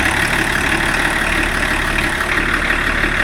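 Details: BMW E34 TDS diesel after first service in over ten years, with new water pump and belt rollers: steady idle, even clatter around three beats a second, no rattle or knock; normal idle.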